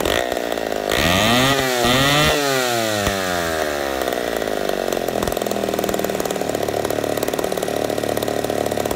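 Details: Poulan 71A chainsaw after carb work, replacing stiff old diaphragms, long sat unused: blips up and down, then holds a steady high scream without bogging or surging; runs strong, owner suspects slight intake leak from crank seals.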